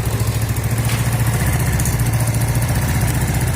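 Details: Yamaha Mio automatic scooter with stalling complaint, after raising the idle adjustment: small single-cylinder putters at an even, steady idle with no misses, stumbles or knocks; idle correctly set, normal.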